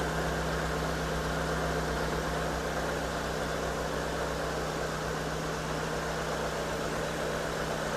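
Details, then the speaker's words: 2010 Hyundai Avega GX idling during Prestone engine flush, ahead of oil and oil filter change: constant speed, even hum and soft steady beat, smooth with no knocking or ticking; normal idle. "Suara mesinnya suara mesin khas SOC. Halus suaranya halus"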